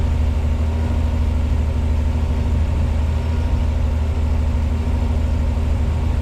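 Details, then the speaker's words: 1986 Pontiac Fiero SE V6, cold start, timing-light tachometer reading 1,220 rpm: a fast, steady idle hum, noticeably above normal. High idle during warm-up, slowly coming down. "She's idling at 1,220 RPM. And it sounds like it. So, we're going to let her warm up. Looks like she's slowly starting to come down."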